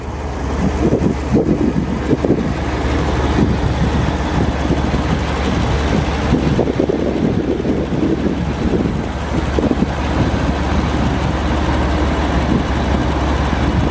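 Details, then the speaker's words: 1991 BMW 850i (E31) V12, salvage car repaired incl. battery and all 12 ignition wires, performance exhaust, camera on top of engine: deep, even rumble, no misses or ticking, under wind noise; runs smooth enough to balance a pound coin, normal idle. "the engine is running beautifully"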